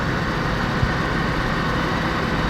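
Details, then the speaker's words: LN3 3800 V6 (1988–91) after harmonic balancer replacement, idling under AC load: smooth, even idle with the earlier rattling and ticking gone. The engine sounds healthy. "So I want to say everything sounds good. I don't hear that rattling, ticking, anything anymore. Sounds really good."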